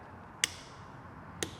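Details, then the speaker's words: Piaggio BV400 scooter that won't crank, starter motor proven good by direct jumping: two lone sharp clicks with no cranking; starter relay clicks but doesn't close the starter circuit, faulty relay. "hear that relay. It's making the click but not connecting the circuit for the starter."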